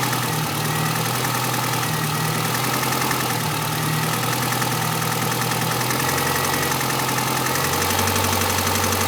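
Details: Renault Clio RS1 at steady idle: fine, fast ticking over the engine note; abnormal engine noise, source not pinned down.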